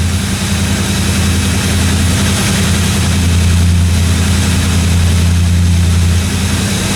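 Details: 1957 Chevy 210 project car at idle during its first-run camshaft break-in of about 20 minutes: smooth, steady low idle with an even beat and no valve-train ticking or knocking; no weird noises, normal idle.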